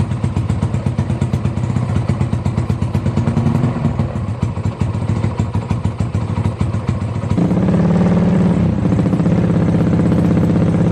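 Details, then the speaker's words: Yamaha Jupiter Z bored-up engine used daily, fresh oil, new spark plug and fuel: loud choppy single-cylinder idle through free-flowing exhaust, then steady rev rise and hold, clean without knocks; normal running. "Ya, oke guys, tadi kita udah dengerin suara motornya. Tentunya di video kemarin, di suara komparasi knalpot kemarin sudah ketahuan gimana suara knalpot dari si motor ini."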